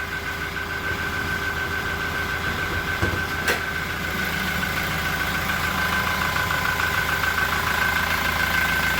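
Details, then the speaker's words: Toyota Innova Reborn idling once warm and rpm has dropped: steady idle with a thin high cricket-like chirp ticking with firing, intermittent, not from the engine bay. "Hai sepertinya bunyi jangkriknya bukan dari kabin mesin udah coba kita dengerin Gak perlu nggak keluar suaranya Iya benar hilang-hilang timbul"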